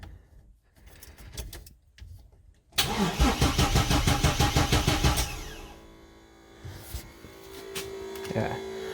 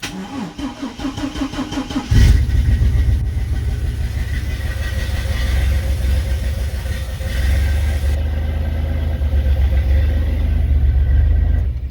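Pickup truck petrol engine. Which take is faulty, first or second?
first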